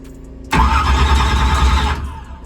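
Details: Drag race car with new Powermaster ultra high speed starter, battery about same charge: short fast even starter whir, no firing, slightly quicker and drawing less power than old starter but still slow cranking; bad battery suspected.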